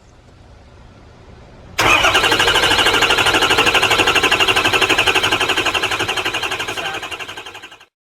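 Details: 6.0L PowerStroke diesel with misfire, stalling, hard start and combustion gas bubbles in fuel: long silence, then it catches abruptly and runs rough with uneven pulsing clatter before shutting off; hard start.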